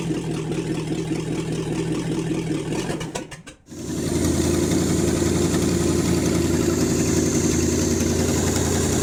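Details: Rebuilt International 345 V8, first start-up, timing set by ear, carb needing work: revs dip almost to stalling near four seconds, then recover to a steady, slightly lumpy idle; still needs tuning.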